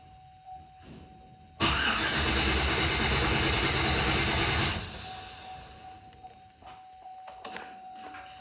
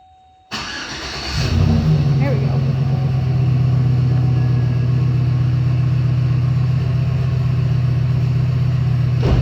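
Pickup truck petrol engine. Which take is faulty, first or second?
first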